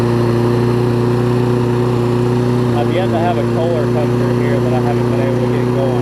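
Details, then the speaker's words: Toro self-propelled mower with Kohler engine, said to be about four years old, front damaged: single-cylinder runs with slightly uneven, wavering beat; owner believes tank ran dry, causing the rough running. "but I think it just ran out of gas pretty sure that it did yes we're dry which probably reason why I was running a little bit off"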